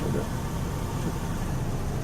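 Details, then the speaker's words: 2000 Chevrolet Cavalier after misfire repair, check engine light off: steady, even idle with smooth low hum and no stumble or skipped beats; misfire fixed, running cleanly. "it's running much better so we fixed our problem"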